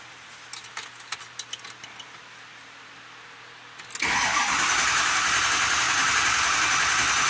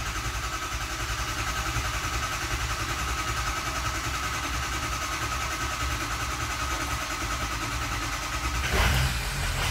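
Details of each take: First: 2005 Ford F-250/F350 6.0L Powerstroke diesel, 287,000 miles, no-start: starter cranks steadily but engine never fires; scan shows IPR fully closed and insufficient injector control pressure. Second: 2005 Ford Super Duty 6.0L Powerstroke diesel, 287,000 miles, after O-ring repair cured the no-start: even diesel rumble at idle, steady beat with a brief bump near the end, settling smooth; healthy idle.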